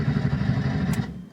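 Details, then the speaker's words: 1989 Porsche 911 Turbo, restarted shortly after being driven: starter churns quickly and evenly then stops with no firing, cranks but won't start; fuel pump not heard priming, cause suspected, not confirmed. "the car is now just cranking and not going but I've I've just done a little bit of sleuthing"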